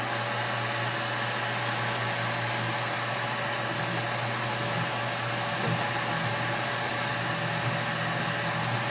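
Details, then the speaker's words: CubeX Duo 3D printer conversion, while printing: constant droning buzz with a steady mid tone under light mechanical noise, very pronounced when the carriage moves in the X direction; vibrating X-axis stepper motor. "So when it's moving in the X direction, it's very pronounced."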